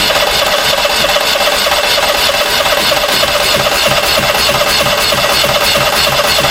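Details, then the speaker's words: Onan 5500 RV generator, 15 years old, unused at least 6 years with bad gas: steady fast starter churning that never catches, cranks but won't start; owner suspects fuel lines drained, air in the line. "I think that's what it was way too much air in the line well air in the line's not good any air in the line is too much"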